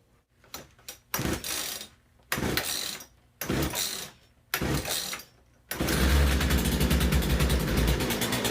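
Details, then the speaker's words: Poulan P3314 gas chainsaw fitted with a cheap China replacement carburetor in place of the original: rough bursts that catch and die between pulls, then an uneven pulsing run; poor running from the badly tuned aftermarket carb. "all right so I was able to get that one on and get the sort running but they ran like crap and you can tell it just wasn't tuned as good as it could be"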